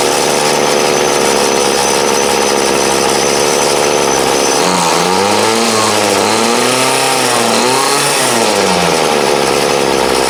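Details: 2008 Troy Bilt TB20CS 31cc two-stroke trimmer, fuel lines, filter and primer replaced, warm after about 5 minutes idling, wanted half choke; steady idle, then pitch rises and sags unevenly when throttled: part-throttle hesitation, carb dead spot suspected.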